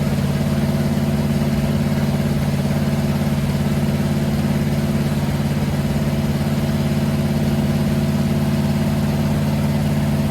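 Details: Freshly built 500 stroker big-block Mopar on first start, after timing advanced clockwise following a backfire through the carburetor; oil pressure about 80-85: firm, evenly paced rumble, no popping, knocking or misfire; sounds healthy.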